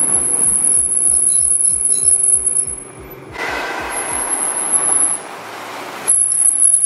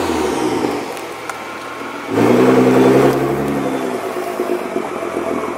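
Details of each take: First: 2014 Nissan GT-R with stock OEM racing brake pads that never reach operating temperature in daily driving: a thin, piercing, near-continuous squeal while braking. It was later cured by fitting PosiQuiet pads. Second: 2014 Nissan GT-R after swapping squealing stock racing OEM pads for cheap PosiQuiet pads: car slowing with only engine and road noise, no brake squeal; noise completely gone.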